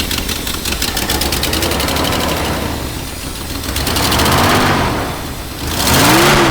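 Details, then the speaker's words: 1960s Ford Thunderbird that sat 16 years, running on old carburetor with fresh oil: rough, uneven idle with loud raspy exhaust note blatting harder on throttle blips; idle improving but terrible exhaust leak. "Sounds like it's idling a little bit better now. It's still not perfect. There's a terrible exhaust leak."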